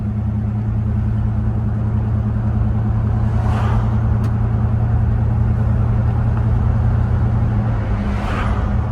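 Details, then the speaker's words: 1968 Buick Electra V8 (430), odometer 36k, cruising on the road: smooth even hum, no knocks, ticks or squeals; shifts smooth, engine healthy. "The shifts felt smooth, the motor sounds good, don't hear any weird sounds, no squealing or anything."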